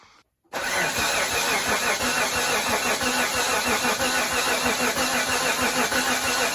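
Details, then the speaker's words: 1991 Mitsubishi Montero RS, freshly rebuilt engine, coil disconnected to prime oil and coolant: steady rhythmic starter cranking at an even pace, no firing; normal cranking without ignition. "So what I've done here is I've disconnected the coil. So we're gonna give it a bunch of cranks, make sure that there's fluid going throughout the whole thing, make sure oil and coolant are getting circulated."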